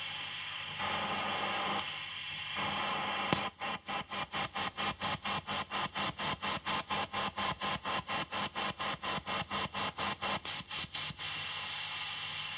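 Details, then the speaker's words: Fender tube amp with TAD output tubes biased about 18–19 mA per side, gain boosted in recording: soft rhythmic wump about twice a second under faint hiss from tremolo; mild, normal tremolo thump. "Even though I've increased the gain on the video so you can hear it more clearly, this is nowhere near as bad as I've heard before. It's pretty normal."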